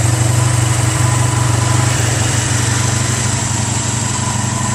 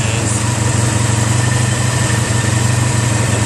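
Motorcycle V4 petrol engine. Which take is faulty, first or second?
first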